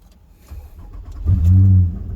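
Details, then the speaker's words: 2005 Nissan Murano, towed in with dash warning lights: the engine catches on the first try, runs rough for about half a second, then dies, and restarts the same way. "cars right up but then dies almost immediately um but it'll fire right back up again just like that and then just dies"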